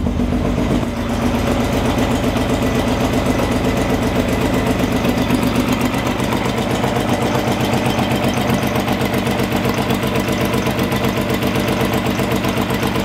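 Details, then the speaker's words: Engine with timing corrected runs rough with an uneven idle and an intermittent loose mechanical tapping about twice a second; owner suspects bent valves from the first start attempts or a missing sensor, not confirmed. "It's not running smooth. So And maybe I'm because hearing, we're like, missing the sensor here, possibly. And I'm hearing a mechanical noise."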